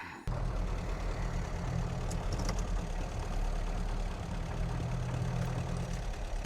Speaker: Runs pretty good. I like it. Oil pressure is pretty steady around 10 pounds.